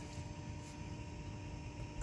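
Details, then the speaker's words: 2011 Toyota Sienna with a newly fitted cheap blower motor, low then max fan: faint steady high-pitched motor whine over soft airflow. New blower motor whines and will likely be returned. "kind of annoying it's like this higher pitch motor sound let's turn on the way to max that doesn't sound right so I think I'm gonna probably return this motor and get something else"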